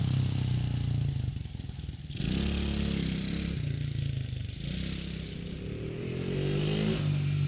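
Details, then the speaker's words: TaoTao Coolster 110cc youth ATV that was bogging and backfiring, after repair; a kinked fuel line was suspected: starts and snaps through quick, clean revs with no stumble. Normal revving. "This thing rips. Holy cow."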